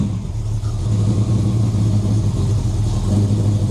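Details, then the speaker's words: V8 with Summit Racing distributor, timing at 20°, vacuum advance limiting rotation, engine not yet warm and won't idle well until heated; uneven, lumpy burble, "doesn't sound happy"; incorrect ignition timing. "Yeah, it doesn't like it. Yeah, so that's now 20. No, it doesn't sound happy."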